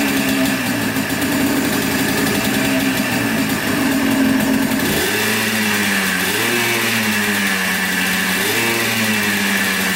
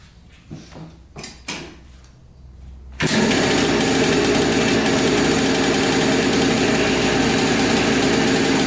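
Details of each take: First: 1996 Yamaha Blaster 200 two-stroke quad, after carburetor fix (likely was flooding, pin wrongly positioned): idles then blips up cleanly several times and drops back, crisp and free-revving with no bog; normal revving, fixed. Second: Yamaha Blaster 200 two-stroke quad that bogs and has no power, heard idling up close: busy, high-pitched ring-ding idle after a few pulls; owner suspects crank seal or air leak, air leak found.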